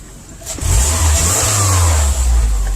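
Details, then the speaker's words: 2010 Subaru Impreza 2.5 non-turbo, 113,000 miles: replacement engine after oil starvation; smooth low idle, then clean brisk revs, no knocks or misses. Earlier tailpipe smoke cleared on revving, smelled of neither coolant nor oil; condensation from 2.5 weeks sitting suspected. Normal idle and rev. "Running good. Had some smoke coming out the tailpipe, had me worried there. I don't know if that was from the old engine, but rev it up a couple times, there's no more smoky."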